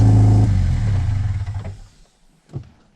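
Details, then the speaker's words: Subaru Legacy GT project car, twin scroll turbo, first start with no exhaust and no radiator yet installed: loud open-pipe bark that settles quickly then dies away; normal running. "There we go, boys. She's running. Now we just got to button up a few things, put the radiator in, make an exhaust for her, and we can drive this puppy around."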